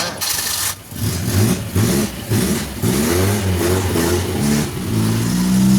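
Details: Suzuki Carry 1.0 petrol, points ignition converted to a Karimun box CDI (white wire from distributor to coil plus, black to coil minus), first test start: catches and runs, revs up and settles cleanly, even firing, no misses or popping.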